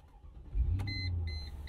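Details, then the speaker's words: 2000 Mercedes-Benz ML55 AMG V8, bought very broken: brief crank, then it catches immediately and settles into a steady low rumble with dash chimes; normal start-up, fires right up every time despite warning lights. "and it fires right up every time"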